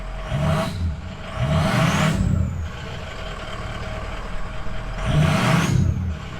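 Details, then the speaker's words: Ford 6.0 Powerstroke diesel after SCT BX tune and turbo swap (thought to be a 13-blade in place of 10-blade): two clean throttle blips rising and falling smoothly from steady idle, no knocks or misses; owner says it's about the same. Normal revving. "It's about the same. It's about the same."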